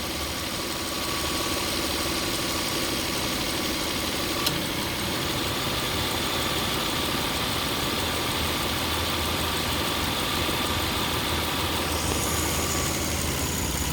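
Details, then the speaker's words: Car after alternator belt replacement, AC compressor cycling with idle-up: steady idle that dips slightly as the compressor cycles, no belt squeal or chirp, running smoothly. "You saw it run. It definitely has flex, but certainly did not squeak at all. It ran beautifully."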